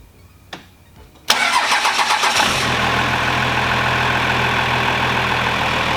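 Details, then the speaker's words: Second-gen Cummins 12-valve diesel truck started after a green belt install and KDP job, checking for leaks: starter whirs briefly, engine catches within a second and settles into a smooth, steady idle with no squeal or knock. "let's get the truck all started up here and make sure we ain't got no leaks and then let it run for just 2 or 3 minutes"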